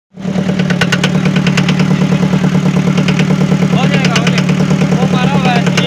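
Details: Forklift diesel engine at workshop inspection: steady idle with a low drone and a repetitive rattling tick about three times per second over it; abnormal engine noise.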